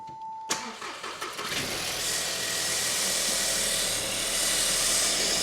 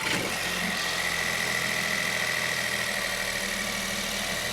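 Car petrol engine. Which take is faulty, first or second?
first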